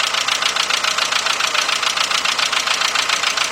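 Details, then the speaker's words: Misfire at idle on a 1998–2005 VW Beetle/Golf/Jetta 2.0 with original plug wires. Steady lumpy pulse of three to four beats a second with a hiss. Owner suspects a bad plug wire, not confirmed. "all right I got a I got a check engine like flashing so computer definitely got a misfire here"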